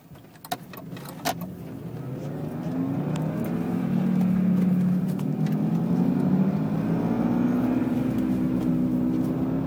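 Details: 1999 BMW 328i E46 sedan, manual, driving: loud droning hum rising with speed, louder than the engine, going away when steering left; a worn right rear wheel bearing, first suspected to be the differential.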